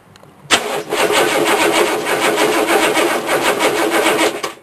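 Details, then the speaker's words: Chevrolet Suburban with a suspected battery drain (power windows), two new batteries: starter turns slowly in sluggish beats about four a second, speeding up, without catching; slow cranking, cause not confirmed. "leave the door open so I can reach around and you'll hear it crank slowly at first and it speeds up"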